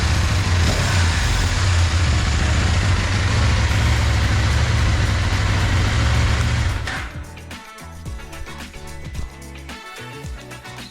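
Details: KTM 890 Duke with the OEM cam chain tensioner, before Dirt Tricks tensioner upgrade: twin idles with a steady low throb and light fast ticking on top; slack stock tensioner letting the cam chain rattle.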